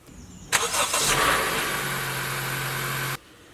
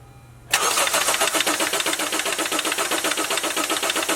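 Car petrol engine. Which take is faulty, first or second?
first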